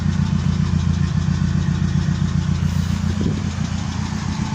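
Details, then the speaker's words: Opel Kadett engine idling after the number one injector fix, warming toward operating temperature while a fan problem (blown fuse) is being traced. Steady, even rumble with a regular firing beat and no misses. Normal idle. "So, I'm actually still busy sorting out the fan problem. That's why I'm sitting in the car and letting it idle."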